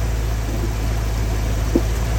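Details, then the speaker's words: Rebuilt Ford 302 V8 in a 1983 F-150, fitted with the first step above stock cam. The warm idle is deep and steady with a faint rhythmic lope from the cam and no ticking or knocking; it holds 50 psi hot oil pressure. "So, you know, it idles pretty good. A little bit of a look to it."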